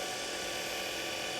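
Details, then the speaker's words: TurnCrafter Commander 12-inch lathe after a control board repair (bad MOSFET replaced): steady high-pitched motor whine over an even hum while turning up the potentiometer. The extra noise is frame vibration because the lathe isn't bolted down, not a fault. "vibration and don't have this bolted down or anything"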